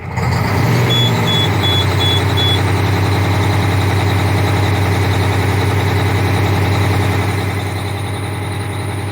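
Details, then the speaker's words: Cummins ISX 870 diesel truck at idle after injector replacement and overhead adjustment, air connector off; uneven lumpy beat about every half second. Owner suspects not enough air pressure; still sounds like a miss. "Guess it doesn't have enough air pressure, that's probably why. Still sounds like she has a miss."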